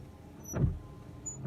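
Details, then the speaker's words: 1998 Chevy pickup washer pump, just replaced with a new one: two short, light, unloaded buzzing bursts. The pump runs but no fluid reaches the nozzles; owner suspects the system is deprimed and running dry. "so the pump's definitely running but i'm not getting any washer fluid out so that's also disappointing"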